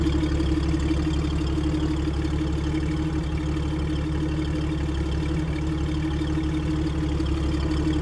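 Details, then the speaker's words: Speedster built from 1953 Ford F5 pickup truck, fuel tank from old air compressor; even low rumbling idle with steady mid hum, no ticks, knocks or misfires, smooth healthy normal idle. "you can hear it running and it is runs like a sewing machine it is wonderful I'll let you hear it"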